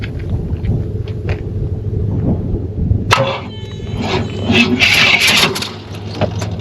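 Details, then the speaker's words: 500 cubic inch V8 in a donor car with AC, started using a hot shot: a deep, steady rumble with an even beat under some nearby clatter. The exhaust is noted, but the idle sounds smooth and healthy. "With AC. Wow, it sounds good. exhaust on here. But it sounds good."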